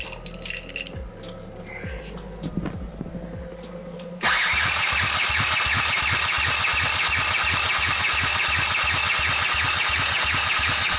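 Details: 1979 Honda CX500 half-converted cafe racer, unknown history, after carburetor rebuild and ignition wiring swap: starter cranks at a steady even beat about four per second but it never fires; cranking no-start, fuel suspected.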